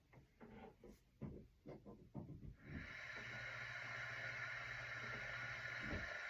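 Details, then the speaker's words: SMC ceiling fan motor without blades, after switch-contact cleaning and resoldered leads, on full speed: steady even hum with soft airy hiss, no rubbing or rattle; healthy, likely quieter once blades fitted. "There you go. It'll probably be quieter when I put blades on it."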